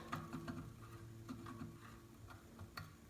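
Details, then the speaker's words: Small Arduino CNC router axis run: faint stepper hum with irregular light ticks; not heavy to turn, but the clicking is from the bearing, likely blown. "Aqui não está pesado, mas esse estralado que está dando é o rolamento que está fazendo."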